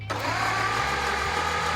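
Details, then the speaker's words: Brass-era Ford Model T engine (4.5:1 compression) cranked by jumping the starter from a battery during a compression test: steady, even cranking with no firing. Number two cylinder reads zero compression, while another read about 45–50. "and that one I got zero the number two cylinder was no compression whatsoever so we're going to have to get in there and figure out what's going"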